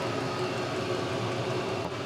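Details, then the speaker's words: Vevor 8 kW diesel heater test run in 12 by 14 ft shed: steady even combustion-fan roar with faint constant hum, no knocking or ticking, blowing hot air, no error codes; normal running. "the test Run's going well I'm pleased with it everything seems to be working it's blowing hot air everything's working as it should nothing's making weird noises or anything like that no error codes"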